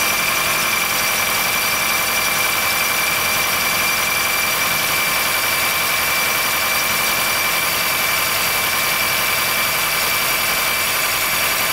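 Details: 2013 Honda Fit Hybrid (FIT3, DAA-GP5, L Package) in cold weather below about 10°C; steady high-pitched squeal at one pitch over a smooth idle. It stops after some driving; dealer found no errors, thinks it harmless; source unknown.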